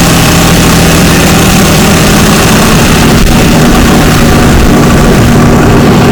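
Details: 2004 Ford Ranger FX4 4x4 4.0 V6, 275,000 miles, after ignition coil and plug wire fix for misfire code: loud deep idle with even steady rumble and no stumble; firing on all cylinders.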